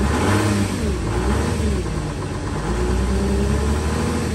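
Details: Volkswagen Touareg 3.0L diesel cold-started after standing two days below -30°C (about -33°C): deep, steady diesel clatter running evenly at idle with no misses. Healthy cold idle.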